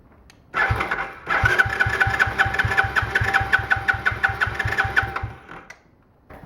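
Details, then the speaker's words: Small free ATV, fuel had been drained after sitting, choke on: starter churns steadily for about four seconds without a single catch. The spark plug wire had been left off and the plug possibly not tightened. "no you didn't put the spark plug wire on I did you took it off wait did I tighten the spark plug well that was dumb"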